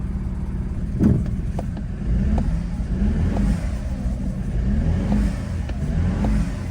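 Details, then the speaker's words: BMW F30 328i at first start after injector replacement: idle rumble sags and recovers about every second, laboured and uneven; engine bogging with a bad smell, problem persists, cause not confirmed. "it's actually idling it's not like dying oh wait wait wait is it bogging it's starting to bog"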